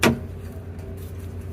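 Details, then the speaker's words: 2016 Toyota Tacoma with rear air bags/lift kit, idling: one sharp metallic clunk when braking to a stop, the axle rocking because the air bag bracket is held by only one C-clamp. "there's only one clamp on one end, whenever I would put the brakes on the truck and come to a stop, the axle would rock and I get this sound."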